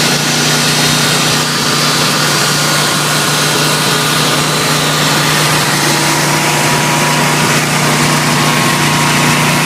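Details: Briggs & Stratton 20kW whole-house standby generator (same unit as GE/Rheem 20kW), newly DIY-installed, started manually: loud, steady engine drone with an even buzzy note, no knocks or misses; normal running.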